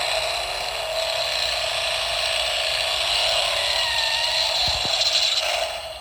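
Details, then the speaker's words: Toy bought as not working ("Pedal to the metal! Turbo to the max!"): fast, dry ratcheting clatter from small gears under a dull, underwater-sounding voice; owner suspects a bad speaker or a bad capacitor on the board. "Like, it sounds like it's underwater, and it's strange. I don't know. But, I'm guessing that there's probably a bad capacitor somewhere in the board."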